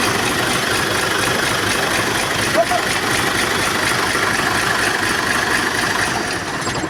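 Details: Diesel truck with hard starting, PCV being swapped from Hino to Giga; steady, even idle with no misses or hunting, a few voices in background; runs smoothly once started.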